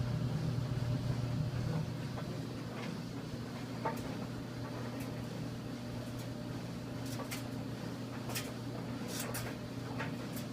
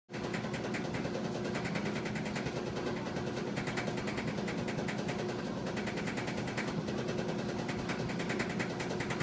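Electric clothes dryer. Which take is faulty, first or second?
second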